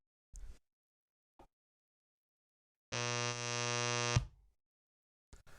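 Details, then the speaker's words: Mackie MR8 monitor speaker with an SM58 plugged in gives a steady, loud low 60 Hz buzz for over a second. This is mains hum from old filter capacitors whose electrolyte has dried out, often with bulging tops; the fix is soldering in new capacitors. "So that's the noise that comes out of these things often when the capacitors are broken on there. And it's not a abnormal problem."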